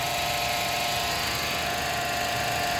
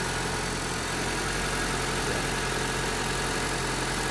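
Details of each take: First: Honda Civic at idle, heard through a mechanic's stethoscope at the belt tensioner; loud steady whirring hiss with a fixed high whine. Worn belt tensioner bearing noise, before replacing tensioner and idler bearings. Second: Honda Civic at idle after replacing the worn belt tensioner bearing and idler bearing; smooth, even idle with no chirp, squeal or bearing growl from the belt area. Noise gone, normal idle.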